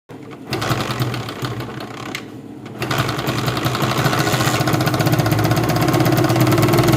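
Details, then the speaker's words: 2016 Honda CD70 motorcycle starting and idling with a fast loose metallic clatter, about four beats a second, missing and not revving; slack timing chain. "आपने देखा कैसे इसका जो आवाज है वो भी बिल्कुल ही खराब है और मिसिंग भी कर रहा है और रेस भी नहीं ले रहा"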